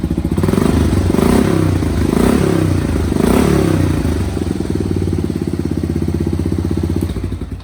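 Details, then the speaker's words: 1985 Honda 250 single, warm: even thumping about four beats a second, revs blipped then settling to steady idle; runs well, smokes only for 30 seconds on cold startup, suspected worn valve seals. "you can see runs really good I only issue I'm really having his on startup for about 30 seconds it'll smoke and it's not doing it now because it's warm"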